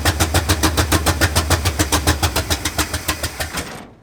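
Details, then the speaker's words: 1965 Ford F250 Camper Special with a rebuilt 352 V8: an uneven lumpy pulsing at about 3.5 per second over a low drone, then it fades and dies, badly misfiring. The header tubes are being checked for non-firing cylinders, and all feel warm on one side. "all right good all right that's just like absolutely terrible yes all right i want to see which cylinders are firing which ones aren't"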